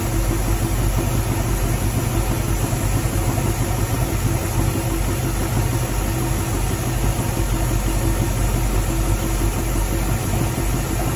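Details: Barn-find 1969 Mustang Mach 1, 302 Ford small block with Erson cam, Holley 600 carb, C4 automatic, first run in nearly 10 years: low lumpy idle with a dull knock about three times a second; oil change quieted it but knock remains, origin unknown.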